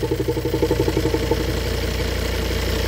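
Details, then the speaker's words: Cheaply bought car whose vacuum-operated engine mounts caused a noise, EGR already blocked: with the mount vacuum line plugged, a steady, even idle with a low regular pulse and no mount noise; engine runs like clockwork. "И това е причината да взема тази кола толкова ефтино. Иначе, моторът работи като часовник, колата се ускорява прекрасно, вече е с затапен EGR, което ще видите как става след малко, и е готова за каране."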